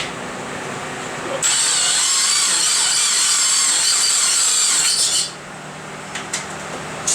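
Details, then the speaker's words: Subaru Impreza at idle with the clutch pedal fully depressed: a loud, wavering high-pitched squeal from a failing throwout bearing, blamed on riding the clutch. The clutch also does not disengage despite pedal pressure and fork movement. "You can hear the throwout bearing just going berserk. Just squealing, squealing."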